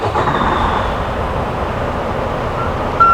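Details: Truck with trailer at a DOT roadside inspection: low idle rumble after the engine is started to select reverse for the rear-light check, then a clear high-pitched reverse alarm cuts in at the end; the alarm works.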